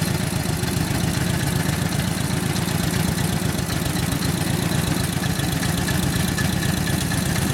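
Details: 1942 Harley-Davidson WLA 45 ci flathead, being readied for a cross-country ride after sitting for years: even, lumpy thumping at about four beats a second with no knocks or rattles; a healthy, smooth-running V-twin.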